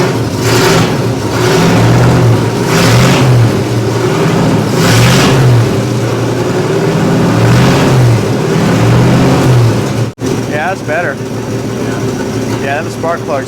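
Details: 1961 Chevy Apache, carbureted, revived after 20 years in the desert, after new plugs replaced fouled, wet ones and the carburetor was adjusted: the engine picks up cleanly on each blip and settles back to a steady, even idle with no misfire; running smooth.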